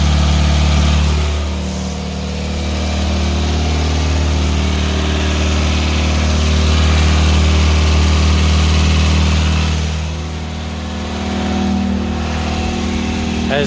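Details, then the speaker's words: Pontiac Fiero 2.5 L Iron Duke cold start after fixing a belt squeal at every start-up, caused by a missing bottom alternator bracket bolt to the block; with the bolt fitted the alternator is secured and idle is smooth, steady, no squeal or chirp. "can see there's no more belt wheel we have the alternator is properly secured"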